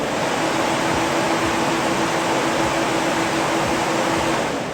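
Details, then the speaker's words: SPAL electric radiator fans driven through a Haltech solid state relay for soft start and variable speed, switched on in a test: loud rush of air with a steady mid-pitched hum; owner suspects the PWM frequency (initially 200) is off, not confirmed. "as you heard there, they did come on. Now you can hear that big humming. Maybe the frequency is a little off, so I'm going to work on the frequency right here and get the frequency correct, because that's what's probably causing the humming right there."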